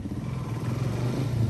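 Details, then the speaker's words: A 2006 Suzuki DRZ400S, bought cheap as a non-starter, is ridden after its spark plug work and reassembly. The deep single-cylinder thump pulses evenly under light throttle, crisp and steady with no knocks or rattles; it sounds healthy. "how's that [ __ ] sound sounds good dog"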